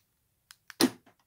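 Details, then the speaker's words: Audi A4 fuel door lock motor just replaced, test locking: a couple of light clicks then one short solid clunk; new actuator locks cleanly and normally. "Donc on entend bien le moteur qui se verrouille. On est fermé."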